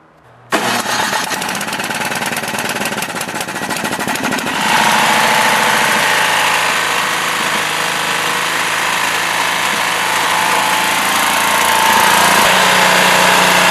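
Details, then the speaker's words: Used snowblower engine, body in good condition: it fires up and keeps a steady, regular knock of about four a second; possibly a loose connecting rod, not confirmed. Engine knock. "So, you can hear that knock in that engine. So, that's a big no no. If you look at a blower, start it up. If you hear bad noises like this, don't buy it."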